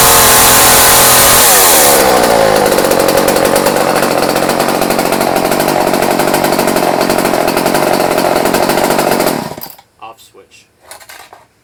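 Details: Old Craftsman chainsaw after years sitting, with new fuel line, rebuilt carburetor kit and new fuel filter, restarted unchoked after running minutes earlier; fires and holds fast steady high buzz with even beat, then shut off cleanly; running normally.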